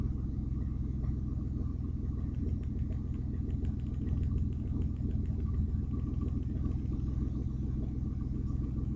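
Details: Audi A4 2.8 12V with an exhaust leak right after the flex pipe and before the cat, leaving one bank open: a deep, loud rumble with coarse tractor-like chuffing under throttle.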